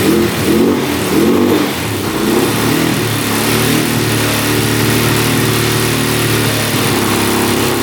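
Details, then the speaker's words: 2004 Suzuki LTZ400 quad sitting 10 years, run with oil added in the cylinder and fuel tank disconnected to stop flooding: steady mid-pitched drone, revs up cleanly without misfire; it fired once not flooded, low compression suspected. "she fired up so I knew it was floating out so it was just not enough compression when the gas floods it out"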